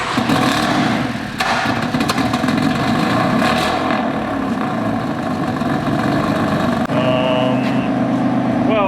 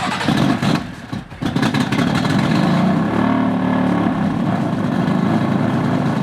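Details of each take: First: Fire-damaged BMW F80 M3 after full rewire, DME wire from another BMW and refitted exhaust, start-up: engine fires and settles into a steady, even running note with no misses or knocks; sounds healthy, just needs warming up. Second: Fire-damaged BMW F80 M3, codes cleared, test battery borrowed from an M4: engine catches, then idle wavers and hunts before slowly settling, a lumpy rumble; rough start, unstable idle; owner suspects the grounding.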